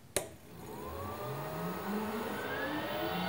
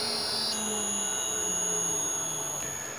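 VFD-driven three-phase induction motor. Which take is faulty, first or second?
second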